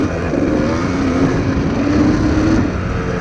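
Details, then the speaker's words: 1997 Kawasaki KDX220 two-stroke, not fully warmed up, riding through the gears: rough uneven sputter and heavy smoke instead of crisp crackle; running too rich, likely pilot jet circuit. "Yeah, it's definitely sputtering."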